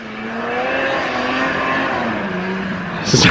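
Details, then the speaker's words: 1997 Yamaha VMAX 500 two-stroke snowmobile after top-end rebuild (had coolant bubbling, swollen coolant lines) on a hill ride. High buzzing note holds steady under load, no knock or misfire; "screaming demon", healthy. "Sounds like a screaming demon. You need to wear earmuffs in this one."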